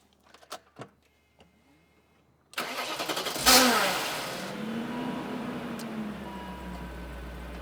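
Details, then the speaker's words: 1997–2003 E39 BMW 540i starter: sharp engagement, then a whirring tone swells and fades as the starter drive stays meshed and hangs up; risk the Bendix won't come out, so starter is being replaced. "Yep, the starter's hanging up now. Last thing I want is for that thing to not shoot the Bendix out and actually start the car. If it's hanging up, it means it might not come out."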